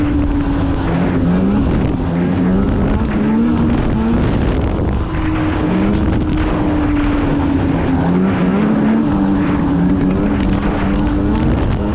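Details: 2016 Polaris Indy 600 SP two-stroke snowmobile at full throttle after plugged fuel filter fix (previously stuck below 6,500 rpm): steady scream near top of range, clean pull, no bogging or misfire, hitting about 8,000 rpm as it should; healthy run.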